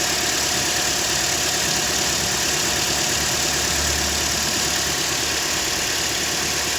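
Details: Toyota Corolla 150 engine idling after replacing the cracked, loose alternator overrunning clutch that caused knocking and rattling: steady, even hiss and hum with no tapping or rattle from the engine front, running smoothly.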